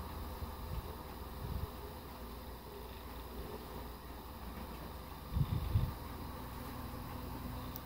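A steady airy whoosh over a low motor hum, even with no rattle or scrape; the fan is running normally on high.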